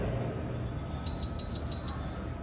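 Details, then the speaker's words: Hoshizaki KM451 ice maker not working: short shrill beeps in bursts over a low hum, the three-beep error code. The compressor is weak and low capacity with bad suction valves, so the freeze cycle can't make ice within the time limit. "we got a weak compressor so that compressor is low capacity you can hear it and that's why we're getting a three a three beep"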